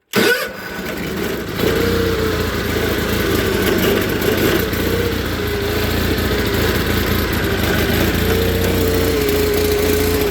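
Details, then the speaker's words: Onan engine in a John Deere 318 garden tractor runs very rough, wants to stall and won't take throttle even at full, despite a new OEM carburetor, tune-up and valve adjustment; uneven lumpy idle. "you can hear it. It wants to stall, running real rough. Won't take much throttle at all. Just horrible."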